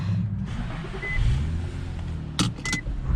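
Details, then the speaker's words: 2006 Infiniti M35x on a test drive at about 40 mph after a wheel bearing replacement and alignment; the complaint was rubbing/grinding noise and vibration at all speeds. Steady low road rumble with no hum or growl; bearing quiet, fixed. "Let go of the wheel, no more shaking, no more bearing noise. Fixed."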